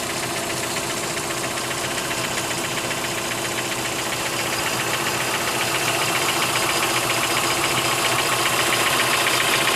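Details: 2003 Mitsubishi Lancer, stock, 162k miles, fresh oil change and full, evap leak code P0456: steady idle with fast even light tick about 220 a minute; lifter or valvetrain tick suspected, unconfirmed.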